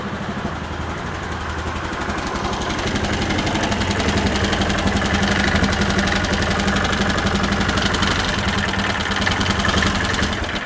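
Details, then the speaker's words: Bennche (Hisun) 500 UTV single-cylinder engine at idle after a clutch rebuild: a steady idle with a light, fast ticking on top, about four per second. It is not knocking; an exhaust leak or valve clearances are suspected. "I will have to check the uh valve clearances sounds a little sounds a little a little ticky tacky up top but it's definitely not knocking"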